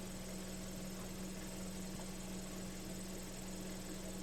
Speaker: The idle adjustment screw is not even working for it. The curb idle adjustment. Yeah, it's not even It's not working for it at all.